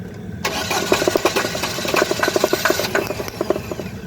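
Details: Chevrolet Cruze with engine hesitation: the engine catches after a brief crank, then stumbles with irregular pops and uneven firing instead of settling. A rough misfiring start, cause suspected but not confirmed.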